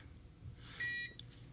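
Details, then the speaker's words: Para Systems Minuteman Entrust ETR 700 UPS with its old battery, just unplugged from mains and powering only an energy-efficient lamp. A single short, high beep as it switches to battery power: the on-battery alarm. "gonna start beeping now this lamp does not pull that much power it's an energy energy efficient bulb"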